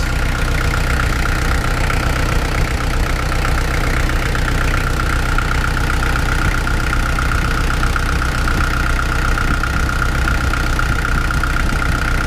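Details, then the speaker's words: Kubota L48 diesel at idle after resealing hydraulic swing pump 3, circulating fluid; steady, even low rumble without knocks, ticks or surging, and no leaks seen. "Start it up at idle. Let that fluid circulate a little bit. I don't see any leaks."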